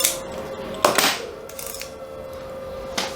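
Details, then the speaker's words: Canon FL 50mm f/1.8 lens during cleaning and aperture overhaul: sharp metallic clicks, each followed by a thin ringing ping from the dry aperture spring; a little grease on the spring reduced the ping. "like a bit of pink gonna try painting a slight amount of grease on the spring and see if that will help"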